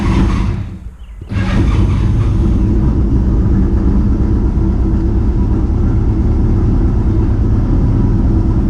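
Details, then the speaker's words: Pulse Autocycle, first start of 2021, with clutch and brake held down. The engine catches after a brief pause and settles into a strong, steady low rumble with no misses; normal cold start. "started up really nice so sometimes they start up a little more rough um than other times"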